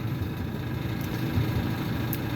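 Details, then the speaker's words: Maytag Bravos XL gas dryer tumbling with a steady, fairly quiet low rumble and a faint spinning whir after the squealing idler pulley was replaced; the pulley arm was kept, and the owner is unsure whether a possible wobble is break-in. "it is back together again quite a bit quieter than it was"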